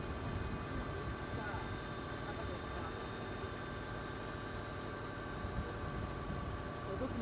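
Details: Subaru Legacy TA-BH5 with 130,000 km, right after a cold start before warm-up: a steady high whine over rough engine noise. The dealer later said it is the power steering pump, which can whine in the cold.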